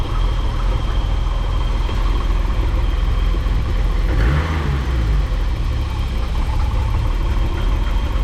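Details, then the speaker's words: BMW E28 with M30 engine after replacing distributor cap and rotor to cure a crank-no-start (following a recent spark plug wiring loom replacement): steady, even low idle with no misses or surges, only a slight blip; idles cleanly, no problems since. "And I can assure you it was the cap and rotor causing the no start issues. I've been driving this car almost every day since then and zero problems."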